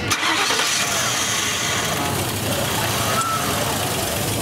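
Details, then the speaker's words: 1999 Ford Crown Victoria 4.6 V8 cranks and catches but stalls, running only with the throttle pressed; wiring and computer tested good, the idle air control valve was stuck closed and tapping it freed it. "our problem with this car was a stuck closed idle air control valve"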